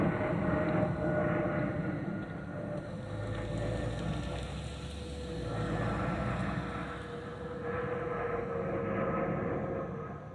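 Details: Delta Airbus A319-114 N365NB in cabin: thin steady whistle swelling and fading over cabin roar, the normal harmless FOPP fuel vent whistle.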